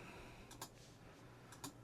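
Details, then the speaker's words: Neo Geo CD console: sharp tick roughly once a second over a quiet spin hum, repeating without settling; drive keeps seeking and fails to read. Cause not confirmed. "That doesn't sound good. Doesn't seem to be reading."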